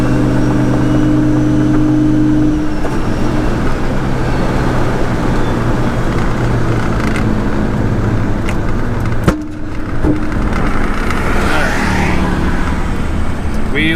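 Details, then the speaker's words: Vehicle on the road at about 3000 rpm with turbo spooling and smoking: steady engine drone drops out briefly, then recovers, repeatedly; owner suspects a bad ground, chassis harness or battery issue, unconfirmed. "all power just cut out for a second oh power cut out again i don't know what's going on"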